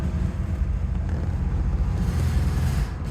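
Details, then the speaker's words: Rolls-Royce Silver Shadow after ignition tune-up (rotor, cap, points, condenser, coil, wire), warming up: deep lumpy note surging and sagging, nearly stalls, clears with lots of gas; still choking, fuel filters next suspect. "yeah no no need to even try that because I can already feel it's choking up just like it did before yeah oh it almost died"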